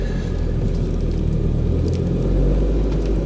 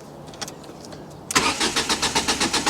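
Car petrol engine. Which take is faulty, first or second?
second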